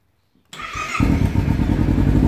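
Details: Kawasaki Ninja 300 starting once the kill switch is off, after it had only buzzed and would not start with the kill switch on: brief starter whir, catches within half a second, steady idle.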